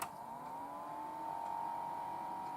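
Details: Desktop PC that had shut down mid-render, after reseating the motherboard power and 12 V cables: quiet fan whir spins up and settles into a steady even tone with no clicks or beeps; boots normally.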